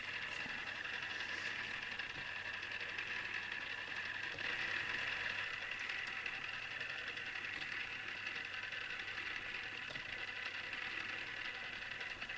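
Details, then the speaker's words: Newly assembled Tamiya Display Turntable (black) on its first test spin: thin, steady high whir with uneven fine ticking from the small plastic gears chattering; the owner dislikes the gear noise. "I must admit I'm not really into the sound made by the gears but either I'll get used to this or I'll fix it somehow"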